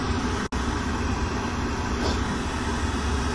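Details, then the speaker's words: Old Lennox rooftop unit after replacing the inducer motor: new inducer runs with smooth even blower hum and steady air rush, no rattle or bearing growl, much quieter than the old one; normal. "give this new motor chance see what it does way quieter much much quieter"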